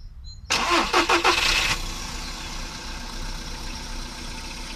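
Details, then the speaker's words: VW Polo Sedan on Lukoil Genesis Armortech 5W-40, phone held close, hood closed. Short crank and catch, then a settled quiet idle with no more tapping from the top end. Normal idle; lifters sound healthy. "Сейчас подставлю просто телефон поближе и завожу. Всё, тишина. Больше не брякает."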